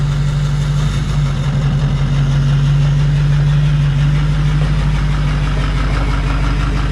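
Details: 2005 6.0 diesel single cab with a cylinder 8 contribution fault and heavy smoke when warm: loud, deep idle with an uneven loping beat about three times a second; low compression or bad rings suspected, leak-down test pending.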